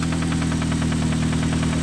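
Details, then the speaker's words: Engine at idle with a loud, sharp, steady knock about eight times a second; connecting rod bearing knock, with advice to check oil weekly. "there. Sounds like the connecting rod is banging up. Definitely on the brake shaft."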